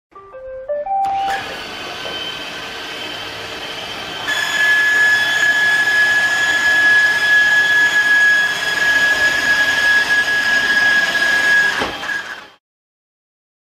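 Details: iRobot Roomba running with a steady high whine and a rushing hiss that steps up midway, then cuts off. Abnormal whine; cause suspected, not confirmed.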